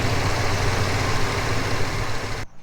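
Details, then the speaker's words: 1980 El Camino just converted to MSD Atomic EFI, idling around 800 rpm (target 750): a steady, even low rumble with no misses, knocks or hunting; smooth, normal idle. "So for now, that's gonna be it. It's still got some tweaking that I need to do to it, but man, it idles amazing."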